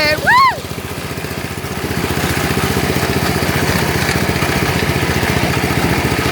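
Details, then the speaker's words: Lawn tractor, cold start on a cold day, idling: small single-cylinder with a fast steady chatter and a light scraping tick each turn; the cooling fan broke off inside and rubs its shroud. "that's the cooling fan it broke off inside so I don't know why so that's why it's making that sound when it's"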